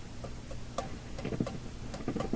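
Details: Philips Sonate BA581A tube radio: quiet, irregular little clicks and pops at random intervals over a faint hum, breakdown crashes; owner suspects bad contacts, internal shorting or poor grounding between metal parts, cause not found.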